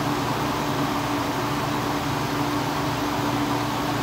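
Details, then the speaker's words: 1986 Kenmore window air conditioner after a capacitor replacement and an R22 top-up; smooth even fan rush with a steady low compressor hum, no rattles or cycling, outlet air cold; normal running. "i also had to add some r22 to it and this thing's already ice cold"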